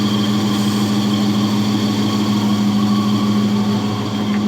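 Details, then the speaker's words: Jeep 4.7 V8 dead-cold start at about 12°F on AMSOIL with a new battery: smooth, even idle with no lash-adjuster clatter (it clattered earlier in winter). The only noise is the failing power steering pump. Nearly 50 psi oil pressure. "Absolutely silent inside the engine right now. That's amazing. I might not actually have to do the lash adjusters."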